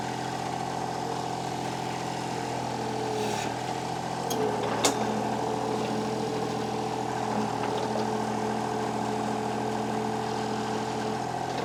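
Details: Kubota KH-10 D excavator diesel after fitting a new starter; fuel pump audible, then it fires right up and settles into an even, steady drone with no knocks, misses or stumbles; starting and running normally.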